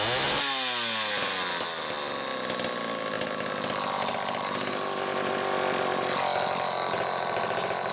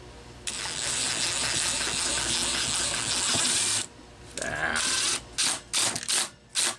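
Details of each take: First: Homelite XL-12 chainsaw, final test run after an ignition repair (misaligned coil bracket): revs up crisply, holds a high steady scream in the cut, drops back and climbs again cleanly; running normally. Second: Homelite XL-12 chainsaw, cranked with a spark tester on the plug wire: several quick starter pulls spin it over with no firing at all. There is no spark from a wrong, miswired ignition coil, to be replaced with a Homelite coil and the wiring repaired.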